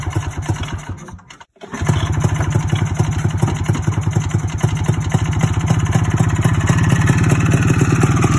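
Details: 1987 Ski-Doo Citation LS Electro 250 two-stroke snowmobile recovered from the dump, water siphoned, on a makeshift fuel delivery system: catches after a pause, fast even buzz building slightly as it warms; normal running.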